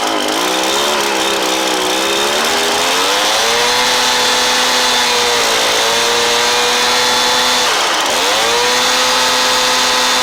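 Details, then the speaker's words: Stihl BR430 blower after replacement carburetor install: steady two-stroke buzz that climbs, dips and recovers as the idle screw is turned; high idle screw needed about an eighth turn left; idle speed variation during carburetor adjustment. "but that only took guys like maybe a eighth of a turn to the left the high idle screw and and that's all it was"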